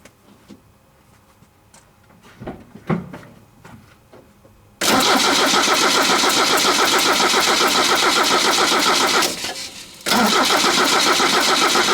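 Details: Toyota 22RE truck fitted with an older 20R-style starter, coil wire pulled so it won't fire: steady, even cranking at about three to four beats a second with a brief pause; preferred starter sound, likened to a '61 Ford Falcon.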